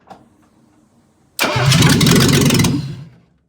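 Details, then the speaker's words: 1975 Mercedes 280SL (D-Jetronic), no exhaust, no coolant, vacuum hoses disconnected: engine catches, runs loudly about a second and a half, then stalls as expected; fuel pressure regulator, MAP sensor, ECU still to test. "We've got to test things like the fuel pressure regulators, the map sensor, the ECU, but this car turned over and ran for albeit a second or two."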